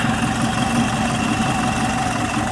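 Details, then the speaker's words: Type 4 VW 2056cc engine with 96mm big bore cylinders, fresh rebuild, idling after rubbing fix: even, steady drone, no knocks or level swings. Runs really smooth and balanced. "It's like, man, this thing's like really, really smooth."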